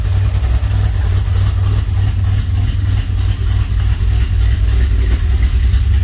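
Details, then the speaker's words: 1981 DeLorean converted to carburetor, after electrical and cooling repairs, A/C compressor disconnected: smooth even idle around 750 rpm, steady beat, no tapping, misfire or whine; 6 psi, good oil pressure, alternator charging. "Now we're going to start the car. Oh yeah, I love that sound. Listen to that baby purr."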